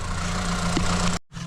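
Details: 2015 Vauxhall Astra petrol, crank-no-start with no fault codes, diagnosed via coil pack voltage and repaired: engine idles with steady, even low hum, no knocks or misses; normal idle after repair.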